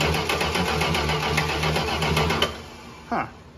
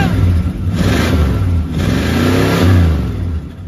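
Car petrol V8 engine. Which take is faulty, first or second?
first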